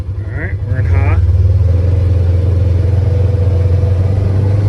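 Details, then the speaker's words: Polaris Ranger 900 XP side-by-side after repair, being ridden through the gears: steady, even engine drone with no rattle or ticking; sounds way better and runs great. "sounds good it sounds way better let's see what the temp's at"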